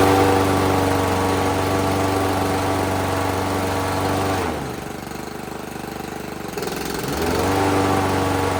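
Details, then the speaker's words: Toro 22-inch Recycler walk-behind mower after blade control cable replacement, blade then engaged: even single-cylinder drone sags a couple of seconds under blade load, then recovers smoothly; normal running. "All right, so this should run just on its own without the blade, and then we'll engage the blade and see if it runs."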